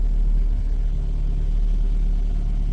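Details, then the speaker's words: 2009 Ford Focus, first start of the morning after instrument cluster solder repair: steady, even low rumble with no knocks or misses while the petrol engine warms up from cold; normal cold idle. "let the car idle for a little while and uh we'll see if it's going to behave first time"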